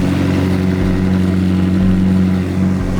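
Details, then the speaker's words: McLaren 720S V8 rebuilt after a wreck, a later start following repairs with an open downpipe: deep, even burble holding a steady pitch with no misses, knocks or ticks; engine running healthy. "It sounds good this time. On the first start originally, it sounded like buns."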